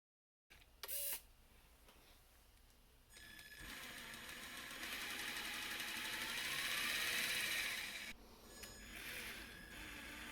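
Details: Traxxas TRX-4 Defender RC truck after transmission fix: small electric motor and gearbox whine smoothly, rising with speed, no more clicking.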